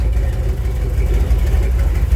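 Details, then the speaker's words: Dodge truck, idling with the old air filter suspected clogged; owner has already ruled out vacuum leaks and fuelling: a low, choppy idle with hesitation that revs fine for a few seconds, then sags back down, heard especially at the tailpipe. "You can see it's got a little bit of hesitation to it. When I rev it up, it runs fine for a few seconds and it goes right back down."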